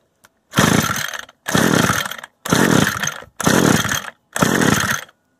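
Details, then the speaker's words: Used Echo gas string trimmer of unknown history, choke on and bulb primed: five raspy recoil pulls that never catch. It won't start because the ignition stop switch was left in the stop position. "Almost. You know, I had it on stop this whole time."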